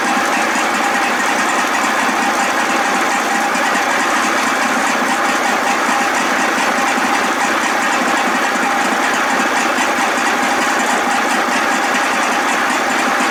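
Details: 55 hp Evinrude two-stroke outboard, first run after a new starter: fast, even buzz holding steady with no misfires or surging; runs well.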